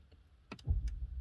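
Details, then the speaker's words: 2021 Renault Zoé R110 52 kWh, front charging flap opened from the cabin control: a sharp double clack and lighter tick as the flap pops open over a faint low hum; normal flap release. "il y a eu un petit clac c'est juste le bruit que ça fait et je vais vous expliquer pourquoi"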